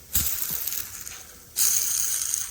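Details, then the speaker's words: Husqvarna 562 XP G chainsaw crankshaft bearing removed by the saw shop and spun by hand: gritty, rough rasping in bursts while the retainer still holds the balls; the other side's bearing is quiet, so this one is worn. "listen how rough that is it's all together still retainer is holding the the balls in place"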